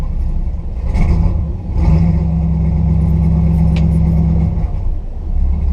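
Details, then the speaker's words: 1971 Ford F-250 V8 on a cold start, no throttle: idle surges and sags unevenly about once a second; rough stumbling idle. Owner says the truck dislikes cold starts and thinks it needs a cam. "One thing this truck doesn't like to do is cold start. Listen to that, I don't even touch the gas and it just blip, blip, blip, blip, blip, blip, blip,"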